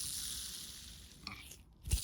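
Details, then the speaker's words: Old Foredom flex-shaft handpiece spindle spun by hand during restoration: fast, hissy whir fading as it coasts down, rough rather than smooth, indicating a dry bearing needing lubrication. "and that's only if you have a dry bearing that sounds like this indicator there's a dry bearing it spins and you can hear it"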